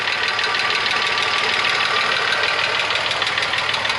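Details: VW Passat Variant 35i VR6 after long standstill, idling warm: light regular tick over a hissy idle; owner suspects hydraulic lifters, not confirmed.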